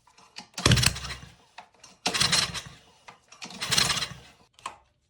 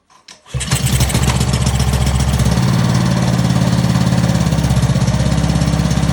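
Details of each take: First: Ryobi pressure washer engine, after fuel turned back on and carb bowl refilled, choke on: three pulls each giving one brief pop and sputter before dying; intermittent firing/backfiring, owner suspects valves or clogged exhaust; weak compression, likely stuck valve. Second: Old, previously seized Ryobi pressure washer engine, freed by hammer-tapping, first start after reassembly: short pull, fires at once and settles into a brisk, even putter on choke, running cleanly. Normal start and run.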